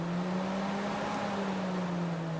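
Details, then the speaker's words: Fiat Tipo electric radiator fan motor after cleaning, lubrication and brush service (it was previously noisy and heavy from dirt inside): steady low hum with an even rush of air and no scraping or wobble, spinning freely. "e olha que show que ficou e ela não faz barulho nenhuma é só o vento mesmo bastante vento mesmo"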